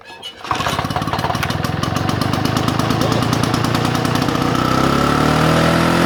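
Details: Vintage Victa two-stroke mower that was hard to start and leaked fuel, cleaned up: a couple of weak pulls, then catches and settles into a steady, even fast two-stroke buzz; runs clean.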